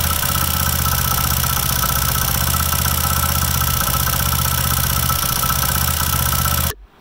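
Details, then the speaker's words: Old-model Hero HF Dawn single-cylinder bike at steady idle, loose uneven knock about four a second from the magneto side; loose flywheel magnet rattling. "नमस्कार दोस्तों मेरा नाम है अंकित और आज के इस वीडियो में हम बात करने वाले हैं मैग्नेट तरफ से आने वाली आवास को कैसे फाइंड आउट करें की आवाज किस चीज की है"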